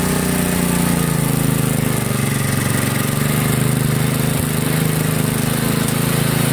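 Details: 1963 MTD Lawn Flite lawn tractor after ignition rebuild, mowing: steady hard-revving drone sitting higher than it should under load; overspeeding, owner says throttle and governor aren't right, had to throttle all the way down.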